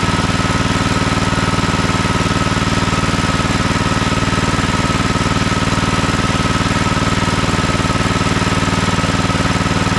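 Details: Toro TimeCutter MX4200 74765 zero-turn, had smoked and died off choke; on fresh ethanol-free fuel with fuel lines refitted: even fast firing beat at steady speed, no surging or stumbling, running smoothly off choke; earlier cause unknown.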